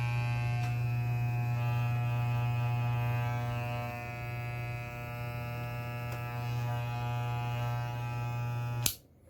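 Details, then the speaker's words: Soling Barber Pro Chrome hair clipper, lubricated, fitted with a ceramic blade that runs louder than the original steel blade: steady even electric buzz with a low hum, no rattle or catching; normal running. "Então, ó, claro que se vocês ligarem ela com a lâmina original de aço, ela faz menos barulho, tá? Ela já tá lubrificada, por isso que eu tô ligando direto."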